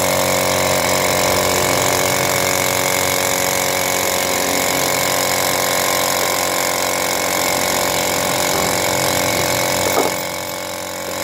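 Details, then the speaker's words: Piston air compressor after replacing the worn 6003 crankshaft bearing that caused loud noise: runs with an even, steady pulse, no knocking or grinding; no longer noisy after overhaul. "hasilnya kompressor sudah tidak Berisik lagi hasilnya setelah overhaul perbaikan sangat baik"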